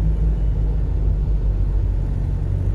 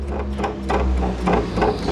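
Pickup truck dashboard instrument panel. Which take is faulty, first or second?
second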